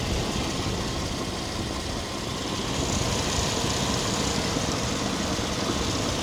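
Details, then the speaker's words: 1997 Chevy 1500 V8, 330,000 miles on the body, motor mileage unknown, idling while the owner listens for a possible lifter tick: even, unbroken idle with no ticking lifters or knocks; the motor sounds smooth and healthy. "Motor sound good as hell to me. You know, I don't know. Am I tripping? That motor sound good as hell to me."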